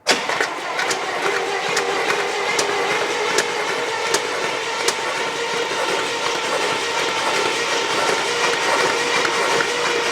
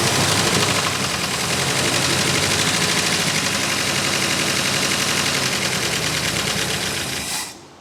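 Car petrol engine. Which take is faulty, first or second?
first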